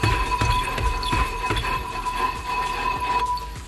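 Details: Car with rear drum brakes while driving, before repair: loose, uneven light knocks about three a second over road rumble from casting flakes broken off inside the rear drum, not hub bearings; cured by removing the pieces.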